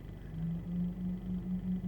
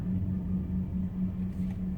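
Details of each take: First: Auxbeam F-S2 H11 LED headlight bulbs, engine running and radio off: a low, steady pulsing hum from the bulbs' cooling fans is heard in the cabin. It disappears when the headlights are switched off. Normal LED headlight fan hum. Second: however you have to deal with that annoying humming sound that I can hear right now coming from the fans that are spinning to keep the LED bulbs cool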